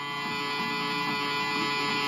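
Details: Home theater Bluetooth USB panel after power-on: constant buzzing hum with thin high whine, steady beep noise; ground loop in audio board.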